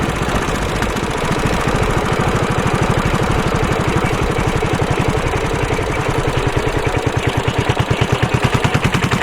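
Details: Suzuki Savage 650 single accelerating hard in too high a gear at very low revs: slow, heavy thumping with jerky, uneven snatching pulses. The engine is lugging.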